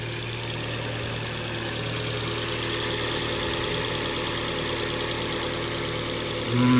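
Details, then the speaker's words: Car engine idling steadily with a constant whirring hum rising slightly with revs; first thought an air leak, mechanic now suspects a worn alternator bearing, unconfirmed. "no it's not an air leak tell you what it is it's a bearing it's that it's at first all I thought it was an air leak"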